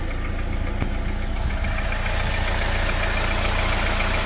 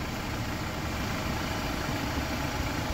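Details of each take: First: Jeep Wrangler JL 2.0, cold engine at idle, oil level at half: steady light tapping about three or four knocks a second over the engine rumble, gone once fully warmed after about 15 km; cold-start knock, source unknown. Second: Jeep Wrangler JL 2.0 engine fully warmed after about 15 km of driving: smooth, even idle with no tapping or knock; the cold-start knock heard earlier is gone, healthy warm idle.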